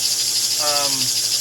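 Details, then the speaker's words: 1949 American Flyer #322 Hudson locomotive motor, after fixing armature bounce and loosening screws that were too tight: a steady, high-pitched, unbroken whirring buzz; it is running okay. "Yep, too tight. Okay. that is running okay."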